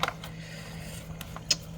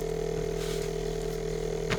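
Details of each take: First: Samsung Zipel SRT686FVIS refrigerator after fix: newspaper wedged between condenser and floor cures a rattle from the faulty condenser mount; soft steady low hum, a couple of faint clicks, no buzz or rattle; running quietly. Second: Samsung Zipel SRT686FVIS refrigerator, rear panel open: steady low hum with continuous fine buzzing rattle from the loose condenser mount; pushing the condenser stops it, and newspaper wedged beneath it cured it; condenser mount vibration rattle.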